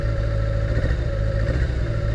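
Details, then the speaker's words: Abandoned 1980s Kawasaki GPz550 yard find, just revived: giving one cylinder's carburetor throttle gives low, lumpy, uneven running with a wavering beat versus smooth when all four are opened together; carburetor imbalance. "just giving one cylinder throttle you can hear it upset the balance and then if I do all four nice and smooth"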